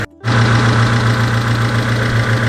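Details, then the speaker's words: Daihatsu Taruna EFI after full engine overhaul (worn liners, loose pistons; had smoked on deceleration), warmed up with fan cycled once: smooth even low idle settling around 800 rpm, slightly high, needs adjusting; no smoke. Normal warm idle. "setelah panas Ternyata sdm-nya turun di sekitar 800 sedikit agak perlu setel nurunin ngerjainnya lagi ya"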